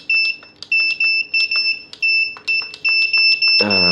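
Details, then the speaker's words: Godox SK-series (SK300/SK400II) studio flash, switched on and button pressed: shrill high beeps repeat about 2.5 per second nonstop with a blinking red light, the E3 error alarm. "Nah, itu ya. Ya, E3 dan ini lampu merah ini ya, blinking, yang blink ya."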